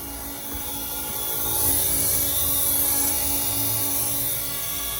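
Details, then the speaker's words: Volvo 850 T-5R AWD swap, fuel system pressure test with feed and return looped, pump powered from a power pack: steady high-pitched whir swelling slightly and holding even, no stutter, steady flow, no leaks; fuel pump normal. "You can hear we got like steady flow, nothing's leaking up there. So I say our fuel system's definitely ready to go."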